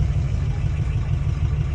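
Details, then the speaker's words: Clifford, red truck with a worn Ford 351W V8, climbing a hill at about 20 mph: deep, rough labouring with uneven low knocking like a sewing machine. It knocks above 1500 rpm, has no oil pressure and smokes heavily. "sounds like a sewing machine this old 351 has had its Better Days"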